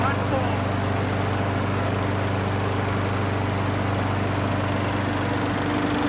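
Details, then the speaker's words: Craftsman mower with Briggs & Stratton auto-choke after carburetor replacement, oil and gas checked; starts on first pull, single cylinder holding a steady even putter with no misses or hunting; running smoothly. "that was genuinely my first pull with this thing and it starts right up"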